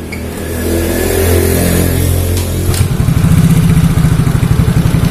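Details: Yamaha Mio Soul GT scooter idles unevenly with a lumpy, stumbling beat, sluggish power and hard-to-hold idle, caused by a leaking, cracked ISC sensor air hose.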